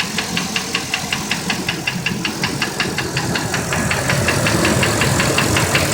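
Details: 8.1L V8 with 80K miles idling with a sharp, steady metallic knock, nearly three a second, seeming to come from one corner and going away at 1500 rpm. Broken piston lost a chunk from running lean due to contaminated MAF sensor; engine replaced.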